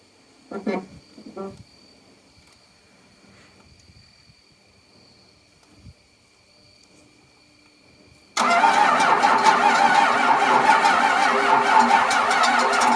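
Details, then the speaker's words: 12-valve Cummins diesel sitting nine years, lines loosened to bleed air: cranks steadily with quiet clicks and faint whine but won't start; key on, fuel shutoff solenoid not lifting. "the fuel shutoff solenoid was not working it was not coming up so i turned the key on felt for it it still wasn't coming up"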